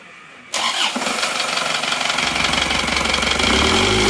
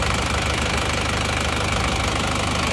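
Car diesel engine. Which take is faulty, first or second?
first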